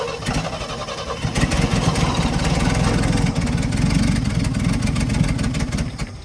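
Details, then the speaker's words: Old International Scout slant six that had not run properly in years, after ignition points adjustment (weak coil suspected): catches and settles into a steady, slightly lumpy low rumble with an even rhythm; normal running. "It sounds like a Swiss watch. I'm not a very good Swiss watch, but maybe a Swiss watch. That's okay, it's running."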